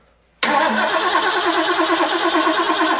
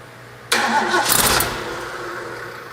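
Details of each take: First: Rebuilt Ford V8 from a 1972 De Tomaso Pantera barn find, off the road about four decades, first start with fresh carburetor: steady starter churning, a pause, more cranking without catching; spark present, ignition timed 180 degrees out. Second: Restored Ford V8 from a 1972 Pantera barn find off the road about four decades, first start after rebuild and timing correction: engine catches sharply, flares briefly, then settles into a steady even idle, firing cleanly.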